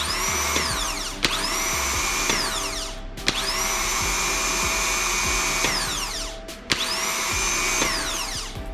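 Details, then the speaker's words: Skoda Fabia Mk1 starter removed for post-start noise fix, brushes replaced and greased, bench-tested: brief bursts of high, steady whirring with a sharp clack each engagement, spinning up cleanly; starter works normally. "okay so at least we know it's working and we can put it back on the car"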